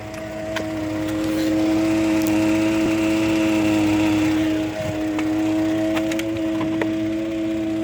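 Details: 2013 Ford F-150 EcoBoost idling in park: steady droning buzz with scattered sharp rattling clicks, a vibration noise whose cause is unknown; dealer could not duplicate it; also vibration between gears when shifting.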